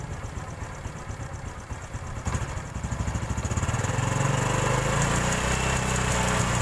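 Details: Honda Supra X 125 injection: smooth at normal idle, but opening the throttle to about 3000 rpm brings a gritty rattle like gravel mixed with sand on the left, magneto side; a loose cam chain from a weak tensioner.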